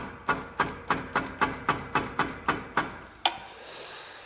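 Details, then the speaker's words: UTV that sat with the hood and airbox open, solenoid jumped: about a dozen sharp clicks near four per second, then a harder clunk, no cranking; engine believed locked up. "Guys, sounds like she is locked up."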